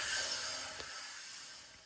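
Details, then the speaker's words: BMW S1000RR front wheel hand-spun with front brake rotor and caliper still fitted, before rotor delete: soft hiss of pad rubbing on the rotor fades quickly as the wheel slows, showing brake drag. "you can hear the drag on there, and you see how long it spins for."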